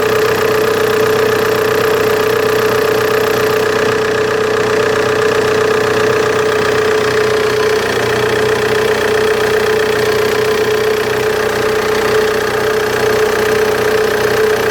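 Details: Opel Insignia idling: a steady whine over an uneven chirpy rhythm at two to three per second; spraying water on the belt silences it for a few seconds, so the owner suspects a bad serpentine belt, not confirmed.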